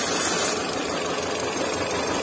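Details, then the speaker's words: Peugeot 407 running on LPG with a rough idle and earlier ignition coil faults: brake cleaner sprayed at the non-original inlet seal draws a steady hissing suck over a thin, rough idle; vacuum leak at the inlet seal. "so when you spray some soap or it's not good to do so but brake cleaner and you put it here you can you can hear a sucking noise uh it's sucking in the stuff"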